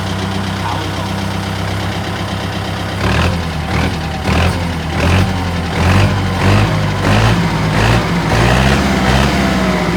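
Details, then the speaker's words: Diesel idling: sharp tak-tak tapping over the low rumble, already taken for repair once without curing it; white smoke also persists; source of the tap unclear. "ผมบ่ฮู้แหละกะยาน.ศ.หลายคนครับcommentมาบอกผมก็บังคับเหม็นมันจะบอกว่าได้ผมก็บ่เอาดอกม.คมีแต่สิ่งอย่างให้เราที่จอดนี่คือนี่เคืองมันดังแต๊กๆคือเก่าคือน้ำมันเครื่องคือเก่าเอาไปซ่อมมารอบแล้วบ่หายบ่หาย"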